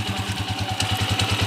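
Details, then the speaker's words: TMX155 single-cylinder after repair (previously noisy timing gear), carb being tuned: even quick idle beat, no clatter or ticking. Now quiet, normal idle. "na po tahimik na hindi na po kagaya kanina"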